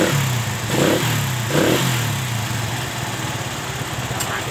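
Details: Satria FU motorcycle after a hard-starting, stalling fault was repaired by cleaning the drain under the exhaust and taping connections against water: revs up cleanly twice, then holds a steady, even idle with no misses.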